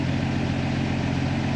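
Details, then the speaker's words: Jeep Willys engine with FuelTech injection installed, idle actuator set to 10%: steady, even low-rumble idle sitting slightly high and not settling down while waiting to stabilize; idle speed too high. "voyons maintenant avec l'actuateur de ralenti à 10%, voyons s'il descend un peu, le ralenti semble être un peu plus haut, mais attendons un peu le temps qu'il se stabilise"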